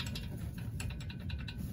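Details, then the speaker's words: Passenger-side brake caliper rattling with loose metallic clacks over a low rumble, heard while driving over bumps; caliper moves on worn guide pins/bolts. "know this is the exact sound that I hear when I'm driving just had a much Amplified uh rate"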